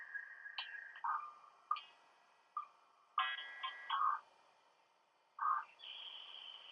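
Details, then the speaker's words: iBook G3 or PowerBook G4 with phone line hooked up dialing out on dial-up in 2025: short clean tone-dial beeps at uneven gaps, some higher pitched, no handshake yet; normal modem dialing. "Anyway, um we are now dialing. We do have phone hooked up. Yeah, I don't know if you can hear that."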